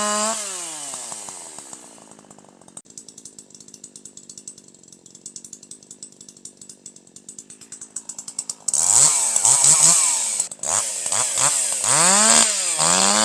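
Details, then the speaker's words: Older piston-ported chainsaw with H screw at 1.25 turns: even idle, then sharp rev-up with higher RPM, slight four-stroking out of the cut, smooth powerful operation in the cut, excellent throttle response; correctly tuned high-speed mixture. "This time you'll hear even higher RPM, better power, a little bit of force stroking, a little bit of force stroking out of the cut, and full smooth powerful operation in the cut. That's what you want."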